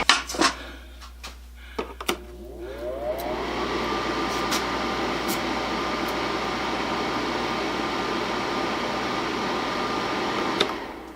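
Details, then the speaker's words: Honeywell ionizing air cleaner fan after repairing a rattle, bearings lightly oiled; after spin-up a smooth, even whoosh with steady tone and no rattle, running quietly and normally. "That job's done. Nice and quiet. A little bit of oil on the bearings helped, but you don't want to put a whole lot in there because it just attracts dust."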